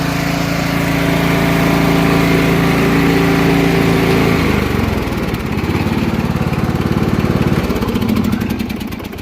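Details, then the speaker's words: Lawn tractor small engine on a winter day: it cranked over very slowly for a couple of revolutions, then fired up and settled to an even, low putter at steady idle with a brief dip; running normally. "as you can hear got the lawn tractor running it just cranked over real slow a couple of revolutions and it fired up"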